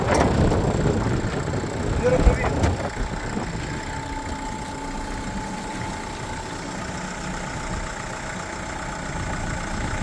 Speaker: зараз відкриваємо капот двигун сухий чисто працює Ніяких нарікань немає